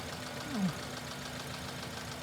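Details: Running engine at idle after new pulleys fitted, ultrasonic contact probe on pulley: quiet even idle, no squeal, chirp or bearing growl from belt pulleys; sounds healthy.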